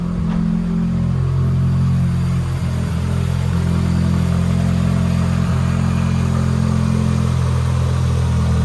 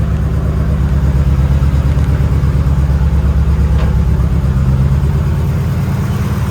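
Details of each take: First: Fully built 2.2L Mitsubishi Evo 9 after swapping the faulty aftermarket coil-on-plug coil packs back to the stock setup: a steady, even low idle with no stumble and no Subaru-like misfire burble; the engine runs smoothly. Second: Fully built 2.2L Mitsubishi Evo 9 (42 psi boost, 8000 rpm limiter), days after a harmonic balancer bolt failure: a loud, lumpy idle pulsing about three beats a second, Subaru-like misfire; traced to faulty ignition coil packs.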